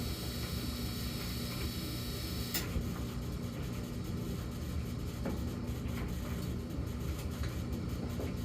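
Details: Samsung gas dryer, intermittent low hum phase (0:23–1:01): steady low droning hum under the tumbling rush, no knocking or scraping; follows 14 s of high hum and repeats every few minutes, cause unknown.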